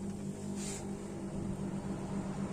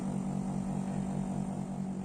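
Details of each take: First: Split air conditioner outdoor unit after replacing the fan motor capacitor, whose failure had slowed the fan and tripped high-pressure protection: a steady fan rush at higher speed with an even low compressor hum. Normal running. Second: Split air-conditioner outdoor unit, cover off, original failing fan-motor run capacitor. The fan starts slow and stays slow, with a low drone pulsing about six times a second, and the compressor gets noisier. The low fan speed raises circuit pressure.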